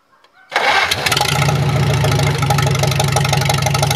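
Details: Farmall H tractor just reassembled with repaired carburetor and float: quick crank, catches within a second, settles to an even steady low idle with no misses; runs fine, may need slight tweaking.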